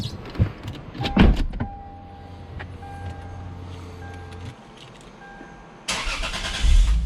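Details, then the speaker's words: Lexus GS after both front upper control arms were replaced to cure a passenger-side suspension squeak, test drive: engine starts, car pulls away and turns with only low engine and tire sounds; no squeak from the front suspension. "all right guys wanted to close this one on a good note you saw we got the the arms on noise is gone"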